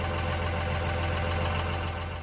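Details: 2000 Dodge Ram 2500 24-valve Cummins turbo diesel (VP44) just after Airdog Raptor 4G lift pump install and fuel pressure adjustment; low, steady diesel rumble at idle, no stumble or knocking; normal healthy idle.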